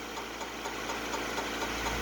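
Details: 1998 Honda CR-V on jack stands, running in gear with the wheels spinning: a faint rhythmic swish about four times a second as the wheel turns, with a tire-like vibration. Rear brake drum rubbing.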